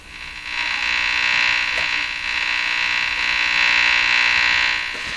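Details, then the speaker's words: Addison 5A tube radio after replacing its last wax capacitors, tuned on the broadcast band: constant high-pitched buzz with a slight fast pulse and no station audio, which is interference in the shop rather than a fault in the radio. "so the buzzer hearing is not the radio it's interference in my shot"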